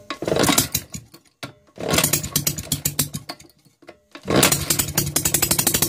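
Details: Maytag Model 72 single-cylinder engine, first start after full rebuild with new rings, oil on spark plugs, fuel setting adjusted: rapid sharp popping in spurts with drop-outs, then picking up and running steadily.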